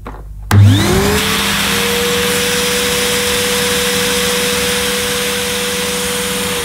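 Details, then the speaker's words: Early-1990s Hitachi CV-790 Powerhouse bagless vacuum on a suction test with the hose blocked, reading about 66 on the gauge: motor holds a steady high whine with a constant airy hiss of escaping air, probably a suction relief valve venting. "Well, it measured about 66 on the gauge, but I could hear air escaping once the machine was switched on, because obviously there was no air flowing through the machine. So it probably has a suction relief valve or something,"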